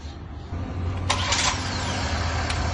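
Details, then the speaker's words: Chevrolet Tracker 2 after overheating, oil mixed into antifreeze and a stuck thermostat, after new thermostat and cooling parts and a soda flush of the cooling system: catches cleanly after a short crank, settles to a smooth even idle; normal start. "Xudo xolasa Tracker avtomobilimiz yurdi."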